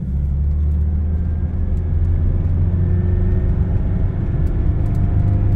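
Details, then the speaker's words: 2008 Toyota Hilux 2.5 with 284,000 km, cruising at about 50 km/h: heavy low rumble and droning throb, terrible whole-vehicle vibration; the same source is believed to cause a bearing noise heard at 80 km/h, cause not yet found. "Hilux 2.5 2008 284 mil km rodados vamos solucionar esta vibração a 50 por hora uma vibração terrível ó novamente"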